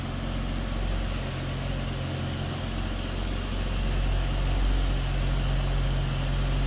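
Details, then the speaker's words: Restored 1955 Dodge Power Wagon, 4-speed manual in neutral, heard from behind the vehicle at the tailpipe: steady, even low idle rumble with mild, not over-the-top exhaust note, no misses or knocks; smooth, healthy normal idle. "Slip around to the back of this vehicle, so you can hear it run. Nothing crazy over the top as far as exhaust."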